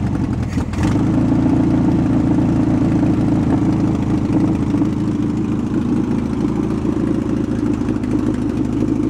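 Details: VW bus left 31 years in a field, original carburetor refitted, choke about halfway on, primed with fuel squirts: steady, even air-cooled chug at a fast idle with no misses or knocks; normal running.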